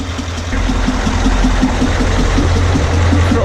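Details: Boat port diesel engine: regular knock, about four per second, at idle; the fuel filter was cut open and showed no metal and no sign of bearing damage, cause still unidentified.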